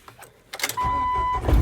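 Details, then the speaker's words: 1998 Jeep TJ Wrangler, manual, after a loose battery terminal and a corroded starter wire were fixed, with intermittent no-start suspected from the ignition switch: key turned slowly, short crank over a chime, catches within a second into a steady low rumble. Normal start. "So if I go slow, all right, it started right up that time."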